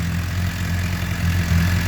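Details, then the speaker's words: 2007 Suzuki GSX-R 600 first start after water pump seal, freeze plug and electrical repairs for coolant in oil; fuel pump running: steady, even idle at one speed with no tapping or misfires. Normal idle. "oh yeah sounds good fuel pumps running"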